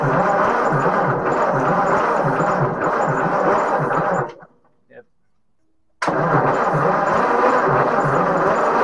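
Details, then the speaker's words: 1944 Ford 2N tractor engine cranked on the starter, spinning quickly and evenly with little resistance; compression test shows low compression on all cylinders (about 55–85 after ATF soak), valves to be checked next. "so we have low compression on all the cylinders"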